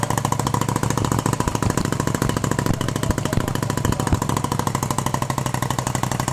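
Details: 1971 Moto Guzzi Ambassador V-twin, 4-speed, under full restoration with changed crank and new rings, first fire-up: fast, even firing pulses at steady idle with little top-end rattle; motor sounds quiet and tight, normal idle.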